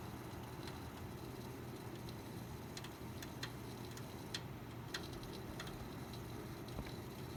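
Scattered sharp ticks and crackles come at irregular intervals over a low, steady fan hum; the crackling noise's source is unclear.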